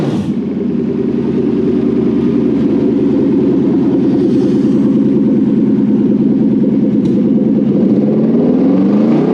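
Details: Toyota 1UZ VVTi V8 petrol on the bench with new wiring loom for a Hilux swap, first start: strong steady note climbing smoothly toward the limiter, even firing, no knocks; healthy.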